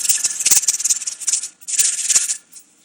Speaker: okay came back about 10 minutes later and you can tell the gauge is right at 10 pounds and you'll see the rattler start to bounce around a little bit